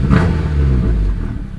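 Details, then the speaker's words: Turbocharged Honda Accord, nearly warmed up, idle adjusted down toward 1000 rpm: after a blip the note falls cleanly back to a smooth, steady 1000 rpm idle without stumbling or hanging; air-fuel slightly rich; healthy idle return. "I'm gonna try to get this right a thousand rpms comes right down right back to a thousand so"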